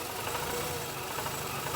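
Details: Mazda RX-8 rotary, warmed up, after cleaning the battery terminal, with mass airflow sensor reconnected: uneven, lumpy idle with wavering low drone; rough idle that improves when the MAF sensor is disconnected, cause not confirmed.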